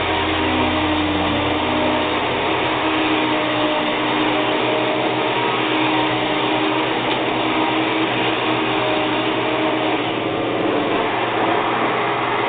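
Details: Hoover WindTunnel vacuum: steady, even motor roar with constant pitch, no grinding or surging; runs normally, though the owner thinks the motor sounds like it may go bad.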